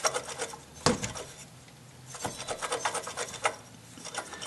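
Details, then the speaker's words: 2008 Dodge Avenger engine bay noise: alternator decoupler pulley jerked by hand in each direction gives short bursts of dry rasping and rubbing and isn't slipping as it should; faulty decoupler pulley located. "plus you could hear you can hear it's making noise so I'm confident we just located our source and it's that decoupling pulley on that alternator"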